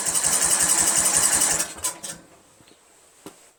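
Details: 1999 Craftsman LT1000 lawn tractor, Briggs 17.5 HP engine; carburetor swapped to Walbro OEM, original flywheel, valves adjusted to spec, new spark plug, good spark, compression 130 psi; quick even chugging from starter about 1.5 seconds, never catches; cranks but will not start.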